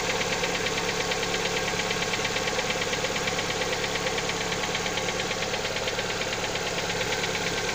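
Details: Lada Xray engine at cold idle: fast even sharp metallic ticking knock about three per second; owner asking what is knocking, source not pinned down.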